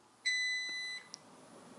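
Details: Vitality 1000 ml/min Brown's gas (hydrogen/oxygen) machine started from standby: one long, clean, high beep of about three-quarters of a second, then quiet; it starts normally, output reading about 997 ml/min.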